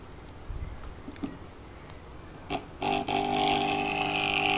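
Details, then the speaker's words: Aquarium air pump running: a few handling clicks, then loud, harsh steady buzzing drone, pump very noisy yet delivers no air; chamber holes clogged with dust. "मैं problem आ रही है कि आवाज बहुत ज्यादा कर रहा है और एयर बिल्कुल भी नहीं दे रहा है"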